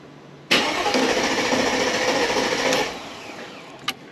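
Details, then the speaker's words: Mercedes-Benz W211 E55 AMG, M113K supercharged V8, 210,000 km, first start after new Bosch fuel injectors and MAP sensor: strong, brisk even starter crank about two seconds building fuel pressure; starter healthy. "You can hear that starter mode is really really nice. Get a bit of fuel pressure in the system there."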